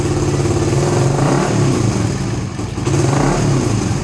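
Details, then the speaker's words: Suzuki GSX-R150 with NOBI Neo SS racing exhaust after owner's fix for the stutter at around 2000 rpm: throttle held and blipped around 2000 rpm, note stays even with no stutter or popping; quieter sound. "Gue coba nah, ini RPM 2000 gue tahan di RPM 2000 enggak berbet sama sekali. Nah ya, ini 2000 tanpa merebut sama sekali."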